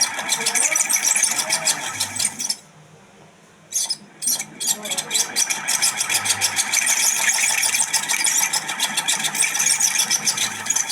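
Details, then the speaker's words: Ceiling fan running with a fast, harsh, high-pitched chattering squeak and loud annoying noise. "প্রিয় দর্শক কত বিরক্তিকর একটি আওয়াজ আসতেছিল শব্দ হচ্ছিল মারাত্মক একটি শব্দ হচ্ছিল এই ফ্যান থেকে আপনারা শুনতেই পারছেন"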